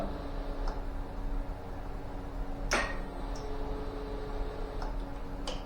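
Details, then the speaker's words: Ducati 999, battery recently replaced, half choke: low steady fuel pump priming hum with scattered clicks and no cranking; owner suspects a relay or heat-related fault, later fixed by tightening loose battery cables and wires. "the fuel pump is certainly priming though so that's why I'm thinking a relay or something heat related maybe"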